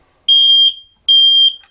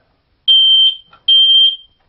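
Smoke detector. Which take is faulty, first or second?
first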